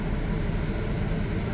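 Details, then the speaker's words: 2015 Chevrolet Traverse with overheating, after replacing a thermostat stuck closed: with AC switched on, the primary radiator fan runs as a steady, even rush of air over the engine hum, no rattle, scrape or whine; fan working normally. "so that is the primary fan for the AC and there's also like I said the secondary fan for when the engine meets meets temperature so that one's working"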